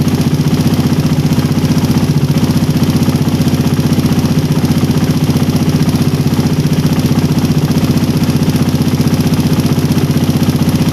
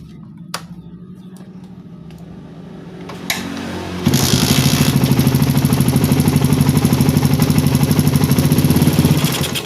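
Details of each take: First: Engine with a PE28 carburettor (swapped in for a PWK 28) at idle, air screw set by the idle method to 2.5 turns out: a smooth, steady beat near four pulses a second with no misses, so the mixture is well set. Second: Carburettor fitted with the original, unground J6ZG needle, slightly thicker than the one ground 0.05 mm, with the air screw still at 2.5 turns: a soft, uneven idle jumps to a hard pulse on throttle, then dies, starved off idle.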